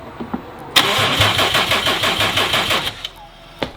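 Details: Subaru STI, first start after build, no coolant, Haltech Elite 2500 ECU: strong even cranking at about three turns a second with good compression beats but no firing; ignition fault, no spark.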